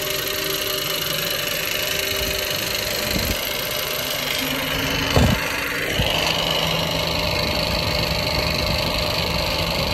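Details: Ford FG Falcon engine, warm. A light, uneven lifter-like tick at about three or four per second rides over the idle and starts only once the engine heats up. The owner thinks it comes from below the valve train; source unconfirmed.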